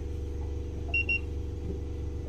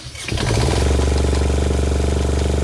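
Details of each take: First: Fischer Panda 5k diesel generator on a Grady White boat: steady low rumble never picking up speed, two short beeps, output only 90–92 volts; throttle actuator failed from excess boost board voltage, so it stays at idle. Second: Fischer Panda 5k diesel generator on a Grady White 330 boat, after replacing failed throttle actuator and reprogrammed boost board (previously stuck at idle, about 90 volts); cranks and catches fast, steady even drone at 120 volts; normal start and run.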